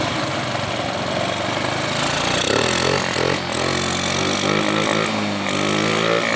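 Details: Honda Beat scooter converted from fuel injection to carburetor, test run: the small single-cylinder engine revs up smoothly, its pitch climbing and holding without stumbling or popping; it pulls cleanly.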